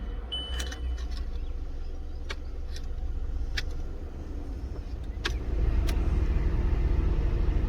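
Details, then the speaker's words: VW Golf Mk5 heater/AC blower: a steady blower roar with scattered sharp ticks and clicks. A loose foreign object is rattling against the spinning blower fan. "and actually my ac blow making a strange noise that's why i'm going to show you and you can check"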